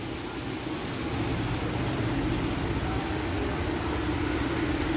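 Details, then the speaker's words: Hero HF Deluxe BS6 motorcycle with a starting problem, fuel pump powered from the battery and tested in water: the motor runs continuously with a steady hum but builds no pressure. "Motor అయితే తిరుగుతుంది కానీ pressure అయితే వస్తలేదు చూడండి okay ఇది ఎందుకు వస్తలేదు motor అయితే కంటిన్యూగా తిరుగుతుంది"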